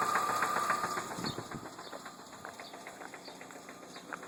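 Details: 2003 Ford Focus at idle: light, quick ticking knock and rattle, about three to four beats a second, over a quiet idle; source unknown.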